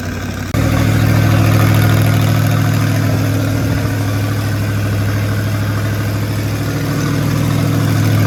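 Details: Rat rod small-block Chevy 350 V8 with a newly installed turbo cam, around cam break-in: strong, steady raised idle, firing evenly with no misses or tapping; normal fast idle.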